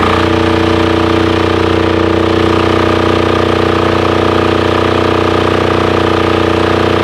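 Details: Titan 7500-watt diesel generator, bought non-running and revived. Started using the compression release with a weak jumper box. Steady, even diesel clatter at constant speed, no hunting; running normally.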